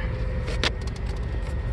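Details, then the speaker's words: 1996 Jeep Grand Cherokee that used to sputter and stall when hot, after cleaning the ECU connectors with contact cleaner, hot at about 210, in gear; low steady rumble, no stall or sputter; normal idle in gear. "no stalling no sputtering well just cleaning the connectors huh"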